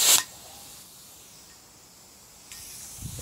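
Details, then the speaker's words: Air tool with cutting disc test-run on compressed air: a sharp burst, then a steady thin hiss from a fitting not tightened enough, a compressed-air leak at the loose fitting. "There you go, and you can hear that hissing, so I haven't got that done tight enough."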